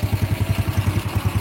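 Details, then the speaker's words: Old Honda Grand single-cylinder, engine just reassembled while chasing a problem where it won't rev high; CDI in question: even, steady putter with no knocks or misses; normal smooth idle. "Oke ini mesinnya sudah Kita rakit dan suaranya sudah cukup halus ya teman-teman untuk motor tua atau Grand"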